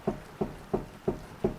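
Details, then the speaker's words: 402,000-mile 2003 Mercedes-Benz E55 AMG on lift, wheel rocked by hand checking lower ball joint play the dealer flagged: five dull clunks about a third of a second apart; worn lower ball joint, definitely bad. "now they claim that there is some play in this joint so let's check that out yeah this is bad you can hear that and probably see"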